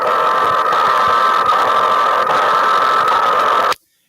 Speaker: the fluorescents have that noise that comes in, and that noise sounds like a steady carrier that warbles up and warbles down.